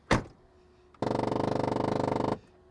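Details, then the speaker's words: BMW 750iL at auction, twin-turbo: window motor whirs for about a second with a fast ratcheting clatter, roughly twenty per second, unable to raise the window; window regulator broken. "It's trying to put the window up, but it can't because the window regulator is busted."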